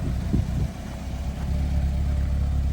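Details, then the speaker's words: BMW F30 328i after replacing one cylinder's spark plug: steady, even low rumble at idle with no misses, knocks or ticks, sounding much better than before; earlier it had been running badly and dying. "It already sounds way better than how it"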